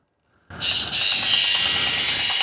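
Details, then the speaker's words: 1986-89 Corvette C68 climate control blend door actuator motor, driven manually by power on a test harness: high-pitched whir with a faint repeating tick from a broken, stripped gear tooth. "got a broken tooth on one of the gears so obviously it's it's hit an extreme and stripped itself at some point"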